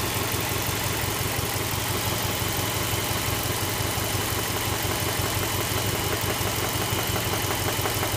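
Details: Subaru Legacy B4 RSK with EJ208 engine: steady idle with a regular light knock about twice a second over the engine; cause not yet known.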